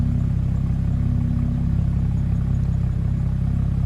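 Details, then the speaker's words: BMW with swapped six-cylinder engine, owner notes failing high-pressure fuel pump: smooth, steady idle like a sewing machine with fine even patter, no stumble or ticking; clean idle. "Good, clean idle, man. That's all I'm worried about."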